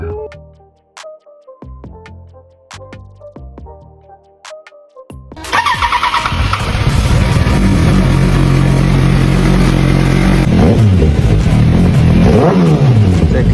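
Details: Yamaha R1 parked two years, after fuel tank repair, following starter repair, new plugs and throttle body cleaning: quiet clicking, then catches, settles and revs cleanly with crisp even exhaust; healthy.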